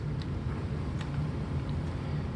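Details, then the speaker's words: 1996 Kirby G4 vacuum cleaner in neutral after new front and rear motor bearings were fitted; low, even motor hum with the earlier snoring and clacking gone; normal quiet running. "yep totally utterly quiet no matter what I do no more snoring or clacking or whatever you want to call it that's fantastic"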